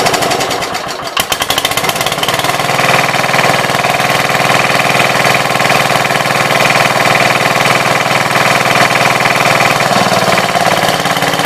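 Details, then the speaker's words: 1966 Gravely C10 single-cylinder after no-spark fix by switching to a battery ignition coil: loud, regular chug holding an even beat, no misfires or stumbles; engine running normally. "So it works. Apparently I bumped the power wire going over to the starter switch. So that's what I was monkeying with there, and everything seems like it works."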